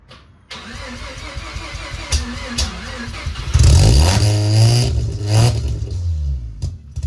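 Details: Mazda RX-7 sat over 2 years, just after fuel pump replacement, in neutral and smoking: catches after a few cranks, surges and sags with throttle blips, won't hold idle alone.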